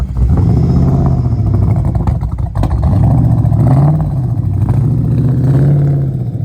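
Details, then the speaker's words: Mustang with 5.4L Lightning V8 swap, sat for a while, running on battery power with failed alternator: lumpy uneven revving with ragged puffing that swells with throttle; definite exhaust leaks, possibly down a cylinder or two, plugs unchecked; exhaust manifold leak. "sounds like she she might be down a cylinder maybe well or two I don't know it definitely got an exhaust leak yeah it's got exhaust leaks"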